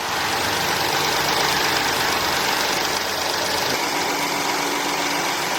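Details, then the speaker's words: Car started first try on a Hulkman 85S portable jump starter: even steady idle with a smooth airy hum, no knocks or misses, normal idle. "we hear the chiming going car started up on the first shot with the hulman 85s"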